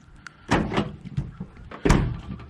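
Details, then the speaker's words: 2021 Chevrolet Silverado tailgate after replacing the water-damaged release switch assembly: light click of the release as tail lights come on, then two solid clunks as the latch lets go and the gate drops; normal tailgate release. "I was having to really push hard this one here I just barely touch it and you can see you can see when you touch it the tail lights come on and it opens up"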